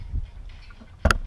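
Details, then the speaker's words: BMW E46 welded differential that broke, now acting as an open diff, being tipped and turned by hand: quiet handling, then sudden sharp metallic clatter as broken weld/plate chunks rattle loose inside the housing. "another big metal chunk just popped out so basically I'm trying to turn the diff until it breaks all that crap"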